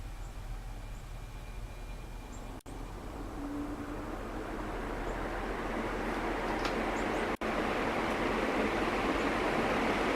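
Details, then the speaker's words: Crompton Greaves ceiling fan, final run before removal: soft airy whoosh building as it spins up, no ticking, rubbing or wobble; normal ceiling fan running. "Stirs up a breeze, that's for sure."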